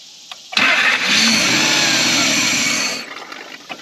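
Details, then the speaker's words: 1991 Lexus LS400 that sat about 11 years, after the timing belt was retimed, with battery terminals loose. It catches with a sharp roar for about two seconds on starting fluid, then dies, showing the timing now works. "I would say it sounds like the timing is working. So, um, that's awesome. Um, cool. All right, guys. As you just saw, it is now running. It's actually firing now, which is more than it did before."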